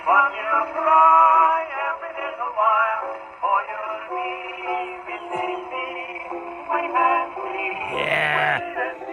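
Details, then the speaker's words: 1919 Victor Victrola VV-IV after overhaul with a rebuilt Exhibition reproducer: music through the horn sounds rough, buzzy and breaking up on louder passages because the record's grooves are worn out. "Enough of that. That sounds terrible. Oh well. You're not going to get every record to be good."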